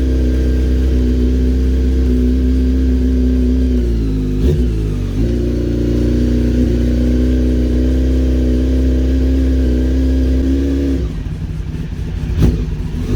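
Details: Honda CBR900 streetfighter after clutch replacement, oil leak repair, fresh oil and clutch cable adjustment: loud smooth engine dipping and picking up under throttle blips with no knocking, whining or clutch rattle; sounds healthy.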